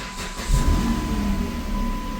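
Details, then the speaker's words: 2008 Chrysler Sebring 3.5L V6 after replacing a failed fuel injector and intake plenum gasket, faults cleared, first start: low, even rumble with steady rhythm, no misses or stumbles; idling smoothly, no longer rough. "It sounded pretty good. It's running smooth and not idling rough. Not idling rough anymore."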